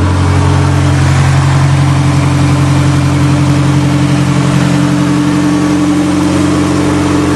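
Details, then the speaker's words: 1987 Dodge Aries Shelby Z turbo intercooled wagon, cold after sitting a while, in neutral, very low restriction exhaust: steady loud fast high idle with deep even exhaust pulse, slight alternator belt squeak noted, no knocks or misses; normal cold-start high idle. "It's got a very, very low restriction exhaust, so it's running on high idle, and that's what it sounds like."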